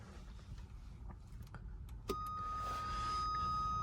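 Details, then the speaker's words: Mk3 Ford Fiesta, a door switch already replaced; with the lights on, a quiet cabin gives way to a steady high-pitched electronic buzz that holds; the door switch was suspected but ruled out, and the cause is not yet found. "hopefully it'll stop making that horrible buzzing noise when I'm driving with the lights on"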